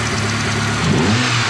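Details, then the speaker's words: VAZ 2.0-litre petrol engine hot, awaiting fans, idling with brief rev: light fast tick from one hydraulic lifter, quieter than the day before; owner may replace it. "И всё же, некоторые тяжелоатлеты продолжают стучать, но уже не так сильно, как вчера. Вчера он стучал, как отбойный молоток. По мере нагревания он начинает стучать ."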